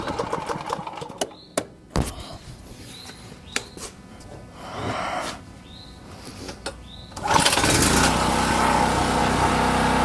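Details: Champion 4000-watt generator curb find, fresh non-ethanol fuel, choke on, carburetor previously rebuilt: after handling clatter it starts and holds a steady, even drone with no surging or stumbling, running healthy.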